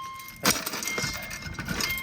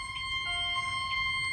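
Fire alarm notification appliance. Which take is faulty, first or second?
second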